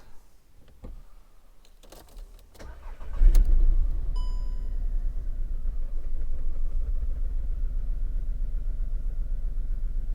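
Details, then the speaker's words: VW Polo 3-cylinder with one injector unplugged to induce a misfire, pressure transducer fitted: starter cranks, engine catches and settles into a lumpy, uneven idle with a missing beat from the dead cylinder. "So that's the waveform with the misfire. Let's have a wee look at that. Stop the car. So you can see they look pretty even with the misfire."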